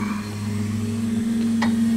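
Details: Holley VR2 electric fuel pumps, both at 50% duty cycle via ECU speed control, heard from the driver's seat in a quiet garage: steady, even low hum, no surging or rattle; running smoothly and extremely quietly.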